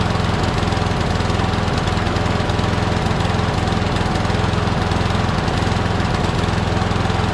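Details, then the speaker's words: Craftsman push mower with crankcase oil way overfilled, smoking, oil in the muffler, suspected hydrolocked. Lumpy, uneven engine beat with occasional stumbles at a steady speed; rough running from overfilled crankcase oil. "you can see there's a lot of oil in the muffler probably hydro blocked which means it has to burn that oil off"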